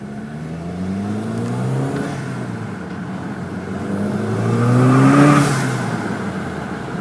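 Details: VW MK5 GLI, loud screeching when revving: a high screech climbs and falls with engine revs over the rising motor note, possibly from the accessory drive, cause unconfirmed.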